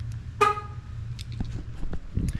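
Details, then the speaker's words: 20-year-old high-mileage Jeep Commander's stock horn on key-fob locking, before replacement with a Fiamm horn: one short, thin, buzzy beep lacking punch. Owner says the horn is wearing out. Weak horn. "Now, do you hear that horn? Not exactly what we're going for, right? That thing sounds like it's wearing out."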